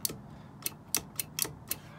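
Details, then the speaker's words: Twin LS 4.8 swap in a 30' Bayliner with Mercruiser Alpha drive: shift interrupt relay wired normally closed to coil ground, clicking crisply six times in two seconds as the interrupter switch is moved; relay working normally. "so when the interrupter switch is engaged the relay actually turns on is engaged and then it disconnects the ground so it works like the opposite of the way you would normally have a relay hooked up so you can hear a relay click when i move this back and forth"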